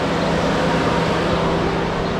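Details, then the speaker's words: 2015 Chevrolet Silverado 4x4 with code P0128, check engine light and temperature gauge stuck at 160 from a failed thermostat: electric cooling fans roar constantly with a steady low hum, never cycling off, as the computer keeps them on. "if you guys can hear the fans uh they're on um the computer is noticing that something's wrong with the cooling system and it just keeps the fan on um to make sure it doesn't overheat I guess"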